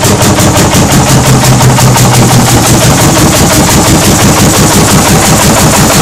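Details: 1940 Lanz Bulldog single-cylinder tractor engine at its first start after 40 years. Loud, regular thumps about three a second, holding an even beat without misfires: it runs properly.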